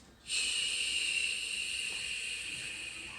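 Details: Google Home Mini, set up months earlier and left unused, idle yet emitting a steady airy high-pitched hiss, even like slow breathing; spontaneous breathing-like glitch with no known cause.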